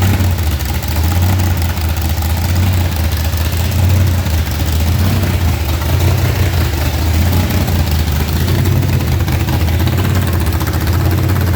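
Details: Blower-supercharged V8 burnout car checked for damage after a burnout event, torque converter bolts being checked: deep, slightly lumpy idle holding steady, no hunting or blower surge; idle dialed in, maybe slightly high, sounds really good.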